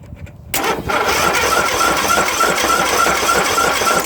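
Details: John Deere 1023/102 tractor (owner guesses 2005), single-cylinder 500/502cc Briggs engine, no deck: catches after a short crank, then runs with a heavy, shaking rumble and rattle vibrating the machine; the counterbalancer had failed and blew a hole in the back of the block.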